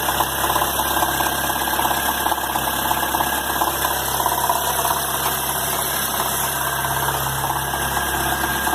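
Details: Chevrolet Agile LTZ 2011 1.4 at idle: uneven tapping noise about two or three per second over the engine hum; owner asks what causes it, source unclear.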